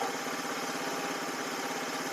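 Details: Small buggy engine after readjusting a loose, wrongly set exhaust valve: quick even idle pulse with no tapping from the top end; full-throttle cutting out remains, owner suspects the carburetor.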